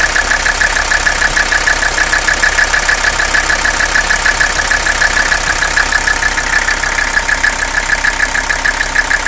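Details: Mercedes 300CD diesel with a rough idle: loud, hissy clatter with a slightly uneven pulse, cause unknown and awaiting diagnosis.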